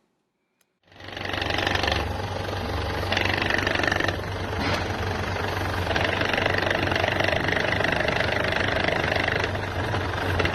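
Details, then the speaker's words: Ford Ranger idling after a new clutch was fitted: loose, uneven gearbox knock that goes away with the clutch pedal fully down, caused by the clutch (faulty clutch plate) rather than the gearbox itself. "okay forward Ranger with a noise in the gearbox or the clutch after a new clutch has been fitted okay this noise will go away if the clutch is put right to the floor"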